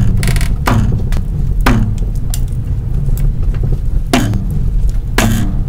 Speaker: aquí otro de los ruidos que hacen las bases de los amortiguadores cuando están dañadas y se giran por completo las llantas para dar vuelta